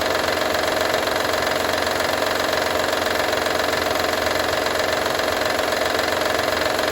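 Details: Honda Odyssey 2012 at even idle: a steady metallic rattle about three times a second that holds its rhythm; owner asks what needs fixing, source of the engine rattle not yet pinned down.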